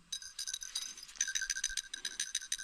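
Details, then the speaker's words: Check ball in a 1968 Ford C6 automatic transmission piston, shaken by hand during rebuild: light, quick metallic rattling in rapid bursts shows the ball moves freely and is not stuck. "you hear it rattling it's good so that's good"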